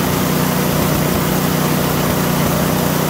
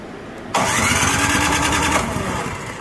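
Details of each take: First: PowerSmart DB7651-24 snowblower small single-cylinder engine, would not start after ethanol fuel gummed the carburetor; after ultrasonic carb cleaning and new intake gasket: steady even thrum, no sputter or hunting, running properly. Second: PowerSmart DB7651-24 snow blower that sat with fuel, won't start: brief cranking burst, engine spins but never fires; good spark and compression, fuel looks clear, so carburetor suspected — fuel starvation from stuck needle and seat.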